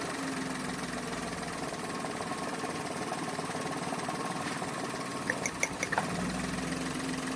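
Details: Toyota Wigo automatic with low power: idle sounds uneven, with a lumpy, stumbling beat and a few sharp ticks near the end, pointing to a misfire at rough idle; cause not confirmed.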